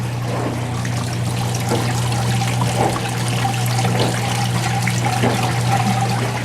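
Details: Whirlpool Duet Sport front-load washer after its control board was oven-baked to reflow solder, fixing an F-1 error on final spin: steady low hum under gently rushing, trickling water, no knocks or grinding; normal rinse fill.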